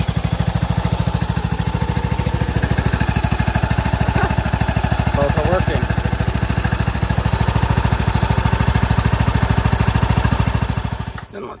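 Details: John Deere LA125 mower, Briggs & Stratton 21 hp engine, 282 hours, after new OEM Briggs carburetor, fuel filter, NGK plug, air filter, adjusted valves and oil change: even, regular low chugging holds about eleven seconds, then shuts off cleanly, with no misfire or knock; runs well.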